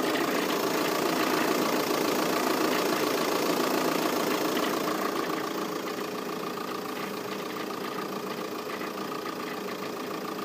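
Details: VW Passat 3C 2.0 TDI diesel at idle: steady idle with a fast, even clatter of about three or four ticks a second, abnormal engine noise of unknown source.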